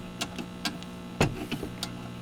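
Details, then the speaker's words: Unidentified vintage tube radio (possibly Airline or Granco) on FM after parts replacement, in a basement: very quiet output, mostly a steady low hum with faint ticks and almost no station; weak FM reception needing attention. "There should be a little more happening on here, so I'm thinking this needs a little attention."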